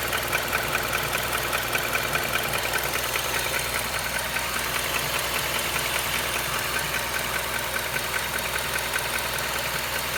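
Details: Honda CR-V at idle: light, fairly even ticking/clacking about two to three times a second over the engine; engine ticking noise, cause unknown to the owner.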